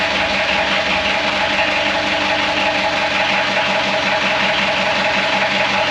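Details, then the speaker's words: Gehl skid steer diesel at first start after reassembly, smoky, given extra glow plug: steady, fairly fast idle clatter with a loud hiss while the engine pukes heavy oil out; leak source not yet confirmed, owner thinks he knows. "Something is puking all the oil out of the engine. That will be tomorrow's problem, I think."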